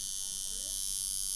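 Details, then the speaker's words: Coil tattoo machine turned up a little higher and louder to working speed for color packing or shading: a steady, constant, high-pitched drone. The needle has slight play and is not stiff, so the speed is judged right and the machine runs smoothly. "every every machine's going to sound different and feel different okay I can't tell you oh that's the sound it's that drone you know what it goes on feel right"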